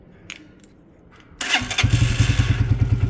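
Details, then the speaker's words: Motorcycle cold start, not warm, on choke: catches after a short crank and settles straight into a steady, even beat. It started first time previously too; a healthy engine. "Yeah, it's a good engine, this."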